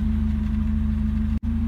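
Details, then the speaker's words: Car idling after starting on a reconditioned, previously dead battery, first start in a long time: steady, even idle with smooth low hum and regular firing pulses, no knocks or misses; normal idle. "Setelah sekian lama nggak nyala nih mobil, coba nyalain, nyala."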